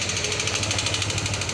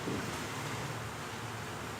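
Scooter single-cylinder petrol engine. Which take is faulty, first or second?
first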